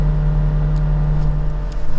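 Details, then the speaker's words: 2017 VW Golf Alltrack (MK7) HVAC blower at top speed: steady low droning hum with a rough, uneven edge, worst at max speed, sometimes shutting off completely; blower motor failing, replaced. "But anyway, my blower fan on my AC started making this noise a couple weeks ago, and then it would also sometimes switch off completely."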